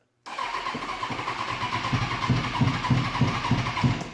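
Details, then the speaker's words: 2005 Kawasaki Ninja 636 sportbike, sat in a shed for years, first start attempt after fuel pump priming: starter whirs with uneven firing pulses, engine almost catching but not running; owner says it wants more priming. Crank no start. "she wants to she wants to let it prime some more oh a little bit a little bit"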